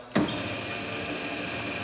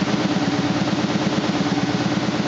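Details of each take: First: 2000 SCMI Sandya 3 37-inch wide belt sander with auto-calibrating table height: a soft, even motor hum as the table raises and lowers, with no grinding, clicking or strain. Normal, quiet height adjustment. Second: 2000 SCMI Sandya 3 37-inch wide belt sander running: steady drive hum with an even thump about three times a second, caused by a high taped seam in the sanding belt paper, not the machine.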